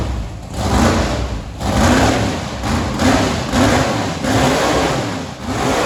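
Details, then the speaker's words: 1968 Chevy Camaro drag car with 555 big-block, first fire-up after 20+ years: loud lumpy running with uneven beat and recurring pulse dips; misfire, one spark plug fouled and needing replacement, no leaks found. "so what we're saying is for a first fire up well attempt we're fairly happy we gotta change the plugs because one of them is definitely stinking but we got no leaks"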